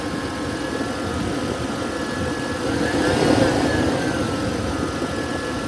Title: 2011 Toyota Tacoma weird whirring noise coming from the front of the engine by the belts